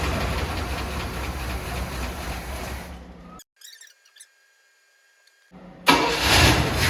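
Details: 1979 Cadillac Brougham d'Elegance, 425 cu in four-barrel V8, stored about 10 years in a pole barn, new battery: engine runs, goes quiet, then catches quickly and settles into a steady, even idle with no misses; starts and runs fine.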